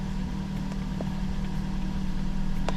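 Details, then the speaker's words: 2011 Mazda CX-7 idling after crank timing sensor replaced, dead battery dealt with and codes cleared: steady low idle hum with even firing beat, no misses or stumbles; sounds good though traction control light remains. "Now, what I will do to me that sounds pretty damn good right now."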